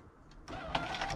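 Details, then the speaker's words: GMC Sierra rear door power window: switch pressed, brief buzzing motor whir with no glass movement; motor works but not driving the window, owner suspects a disconnected part, door liner plastic or old tint wound up inside. "you can hear something the motor's working but something's not connected right or the plastic for the door liner's messed up"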